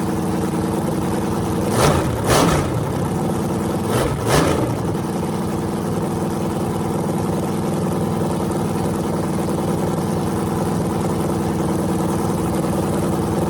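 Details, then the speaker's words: Freshly rebuilt small block Chevy 350 (355) on a converted run stand, open headers, restarted after adding gas: an even, steady idle with two quick throttle blips that settle back smoothly. Normal idle and revving; afterwards it reads 107° front and 76° back. "this thing sounds mean as can be so I'm just excited to uh be able to let you guys hear it"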